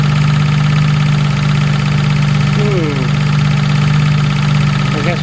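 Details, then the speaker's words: Jaguar MKII engine idling after reassembly, heard from under the car: a steady low drone with a faint uneven rattle underneath. It is suspected to come from the gearbox, but the source is unconfirmed. "sorry yeah it's hard to tell where that's coming from that noise it really does sound like the gearbox"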